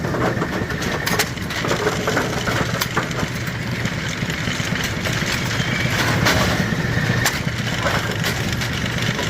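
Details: Brunswick A2 bowling pinsetter (had been stopping at 90 degrees) after filing out a divot: irregular mechanical clanks and rattles over a low steady motor hum through its cycle; cycling normally.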